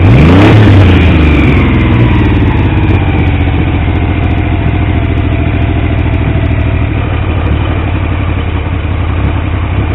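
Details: Triumph T150V triple after head and cylinder rebuild to cure oil leaks, started second kick: sharp rev then falls back to steady deep even idle; oil pressure about 70 psi revving, 40 psi under 2000 rpm; normal running, owner pleased though sounds rough.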